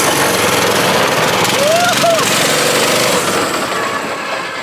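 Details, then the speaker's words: Predator 212 single on a vintage Pepsi go-kart, choked, on first test drive: ragged, uneven chugging about four beats a second, stumbling and fading, then dies; running terribly. "Well, we didn't make it very far before it died. It is hard to get in here. It's running terribly."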